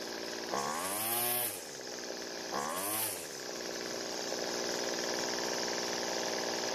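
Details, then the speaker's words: Weedeater trimmer that dies when the throttle is squeezed, L (idle) carb screw being turned: a small two-stroke idle buzz with two brief rev-ups. The first fuel added raised the speed; more fuel slowed the engine. Engine speed change during carburetor mixture adjustment. "we able to hear that the engine changed both times when I added fuel the first time the engine speed increased and it ran fine but I added more fuel the second time it actually slowed the engine down"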